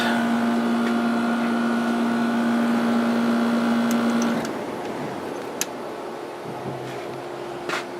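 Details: 1989 Fedders-made Climatrol 8,000 BTU window AC, Rotorex compressor, back on low after high: smooth low hum with faint whine, no rattles, until shutoff near four seconds. Blowing cold, amp draw within spec; compressor healthy.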